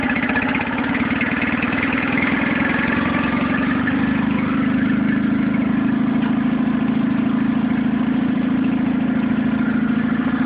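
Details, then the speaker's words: Nissan 9.8 outboard, brand new, first start on a cold day with choke on and water running: uneven, lumpy idle that never smooths, seemingly idling low; started on third pull, owner unsure if not warmed up or off-idle needs adjusting. "Seems to be idling a little low right out of the box."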